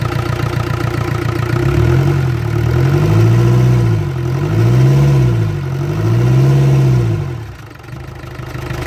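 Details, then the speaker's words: Land Rover Discovery 300Tdi diesel, first run after a donor engine swap with a mechanical injection pump, new timing belt, alternator, turbo and valve clearances set, intercooler pipe still off. Steady idle clatter with a gentle rise and fall every second and a half, no knocking. Healthy. "I'm happy to put that into cooler pipe back on now oh I'm really pleased with that that sounds good really really good I'm so pleased it's fired up"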